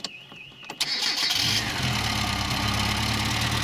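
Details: Car started from five 500F 2.7V supercapacitors in series (about 13.5V) on a fiberglass-bodied car: a brief crank, then the engine catches cleanly and settles into a steady, even idle. A normal, healthy start.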